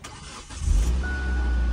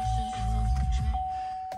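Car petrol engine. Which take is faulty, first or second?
second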